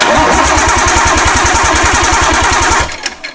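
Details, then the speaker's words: Nissan Skyline RB20 engine (possibly AWD block, special RB20), first start after a missed plug was reconnected and compression confirmed; quick, even firing pulses held steady about three seconds, healthy six running cleanly without misses: normal running. "wow dude I can't believe it though it's pretty sick does sound that's the best sanding RB yet"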